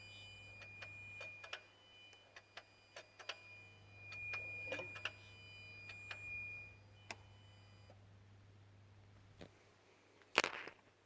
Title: Peugeot 207 beeping and clicking noise